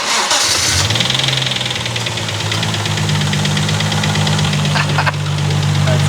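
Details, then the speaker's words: Lexus drift car, first start after installing a suspension angle lock kit and lower control arms: cranks, catches and settles to a fast idle with a light rapid ticking, thought to come from the head; top-end lifter tick suspected, not confirmed. "that sounds like not I think it's coming from the head oh BR what wish they had the um tiled lifted tick from doing suspension we removed the angle and now it's angry with us"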